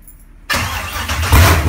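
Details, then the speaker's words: First start of a GM Performance LS3 (fuel-injected) in a 1970 Nova: silence, then it fires first try into a deep, even rumble that swells with a throttle blip; clean, healthy start. "she fired right off the bat eh another way I like it beats any carburetor any day"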